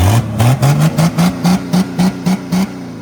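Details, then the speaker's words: Mercedes 300D OM603 turbo diesel with Holset HY35 turbo, wastegate welded shut: dozen quick throttle blips with deep open unmuffled bark, sounding naturally aspirated; smoking from the head, exhaust leak suspected. "Why does it sound NA? Isn't it basically NA? This thing sounds like straight up American Dream."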